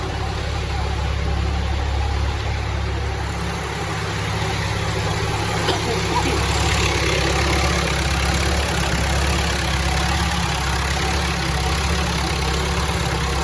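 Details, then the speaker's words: Diesel telehandler with recurring fuel issues, started after the fuel system was bled of heavy air bubbles at every bleeder. It settles into a steady, even idle with no surging or hunting and a smooth low drone; normal idle. "So now we'll see how it runs, if it surges, how quick it fires up."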